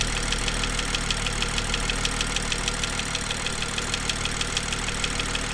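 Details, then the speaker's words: BMW M2 left idling on the drive to warm up: sharp steady ticking knock about twice a second over smooth idle, diagnosed as exhaust camshaft misalignment, fixed under warranty; engine knocking at idle. "so I discovered um after starting my car living it on a drive to run and warm up that I've got this weird knocking noise"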